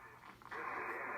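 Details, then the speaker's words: Early Drake R4C receiver with 6HS6 mixer tubes, dirty with bad switches, on 20 meters: quiet hiss, then a clean, steady voice-band sideband signal. Reception seems to be working. "well what about 20 meters sounds like it's working sort of"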